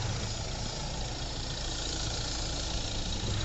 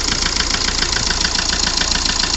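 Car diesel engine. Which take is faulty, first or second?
second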